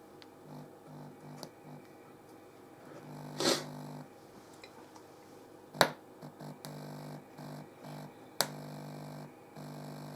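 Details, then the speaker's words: Experimental discrete Class A operational amplifier feeding a Class A power amplifier module and speaker, input capacitor touched by hand; low buzzing hum switching on and off in patches with sharp clicks. Hum and buzz at the open amplifier input. "doesn't sound very nice at all so yeah it's sounds pretty crap actually"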